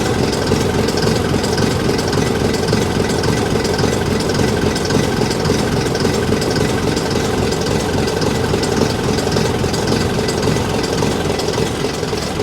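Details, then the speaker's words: AEC Matador with a 7.7-litre AEC diesel, after the injection pump and injectors were overhauled. It has run over an hour on a cold day, is warming up and is still a bit smoky. Steady, even idle with a low rumble and no knocks or misses: normal idle. "Still a bit smokeoky, but don't sound too bad."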